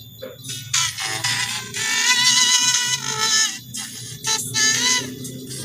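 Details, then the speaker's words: Xiaomi Redmi 5A phone speaker before disassembly: music plays fuzzy and crackly, with a gritty buzz on loud notes. "Tidak jelas, hanya suara gemerisik. Mari kita coba lagi. Jadi, inilah kerusakan pada bagian audionya. Terdengar suara gemerisik, namun tidak jelas."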